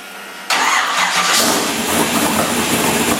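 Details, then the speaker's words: Chevrolet S-10 with a basically stock-configuration LS engine, first start: the starter spins briefly, then it catches cleanly into a loud, slightly rough cold idle. It is cold-blooded but should warm up and sound better; the start is normal. "It's a lot of cold-blooded, but it'll warm up and sound better."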